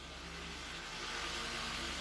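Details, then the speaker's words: Honda Civic VTiS at 54,709 km, after engine-bay detailing: smooth, even low hum at a cold idle just over 1000 rpm while warming up, no knocks or misses; no check-engine light, running normally. "Nah, ini RPM-nya masih 1000 lebih sedikit karena ini posisi masih mesin dingin, jadi masih warming up."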